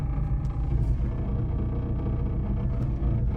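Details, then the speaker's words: BMW E30 Touring with an M44B19 swap on an ethanol map, cold start at 20°C: deep, steady idle with an audible buzzing vibration through the body that stops once driving a bit; the cause is not yet identified. "Mais c'est là que tu vois qu'une carto éthanol est bien faite. Et on entend direct que ça vibre."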